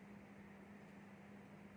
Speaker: especially in the night time you can hear a very noisy sound but if you turn off the switch but if you turn off the switch and there is no more noise